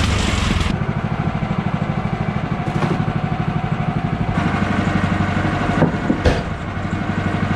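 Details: Bandsaw sawmill cutting 3/4-inch by 6-inch boards after the blade was refitted; lubricant mix cut back after too much Pine-Sol made it jump off. Steady engine drone, blade cutting evenly with no slapping or squeal; blade stays on, cuts normally.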